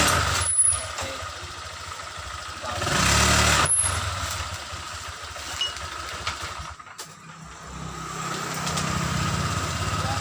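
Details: Honda Vario 125 scooter after repair of rolling without throttle: even idle putter with a brief rev settling back, no clutch drag or rattle; normal idle, rpm called good for smooth oil circulation.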